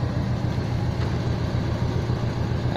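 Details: 1982 GMC Crew Cab, 350 small-block Chevy V8, carburetor, Turbo 400: even, steady idle with no stumble after STP motor treatment cleaned the carburetor; idling much smoother.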